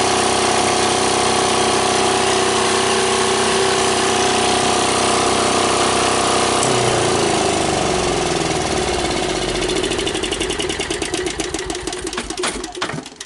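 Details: Old air-cooled Yanmar diesel cold-started with key start and compression release after bleeding air from the fuel lines; loud, even clatter once it catches, firing steadily with no misses.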